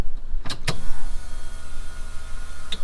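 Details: Rally Camaro project, ignition switched via an alligator clamp at the fuse block, check engine light on: relay clicks, then a steady low whirr for about two seconds that cuts off cleanly as the fuel pump primes normally at key-on.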